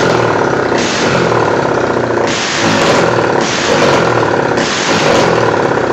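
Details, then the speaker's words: Yamaha Scorpio single-cylinder after ring positions corrected (piston and rings not replaced), muffler deliberately left off during white-smoke test; raw loud open-pipe bark revved in repeated blips, nothing mechanically obvious; smoke cause not confirmed. "Jadi ini knalpot Emang sengaja Enggak saya pasang dulu soalnya bab buat ngetes"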